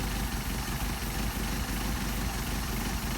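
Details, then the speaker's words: Mercedes 190SL Solex carburetors, setting idle mixture screw for best rpm on the first carburetor: idle beats unevenly, stumbling and dipping as the screw is backed out too far; engine faltering. "too far the other way starting to falter go back where we were this takes a little bit of time don't rush the job"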